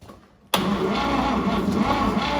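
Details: 1950 Chevy 3100 pickup, unstarted for 35+ years, now with good hot spark: the starter spins the engine in a steady, even churn but it never catches. It cranks without starting; plugs are to be pulled and cleaned next, cause unconfirmed.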